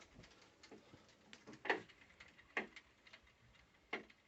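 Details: NordicTrack treadmill (990 or 890 Pro) running: sharp, slightly uneven knocks about once a second; nothing found loose after tightening and nothing out of alignment, with belt dust noted; cause unclear.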